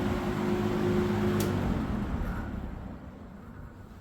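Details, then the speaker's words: 1970s Electrohome 652-2C (Lakewood P23) box fan switched off from high speed: motor hum and blade whoosh die within about three seconds, a short spin-down for this model. Owner suspects it needs oil, but oiling didn't help. "Spin down is not too great at all, really. These usually have a pretty long spin down. This one has quite the opposite."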